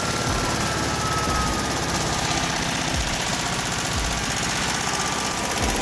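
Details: VW Type 1 36hp flat-four reassembled after suspected rod knock turned out to be the pushrod guides: steady even idle with regular chuffing beat and no heavy rhythmic knock; runs healthy after repair.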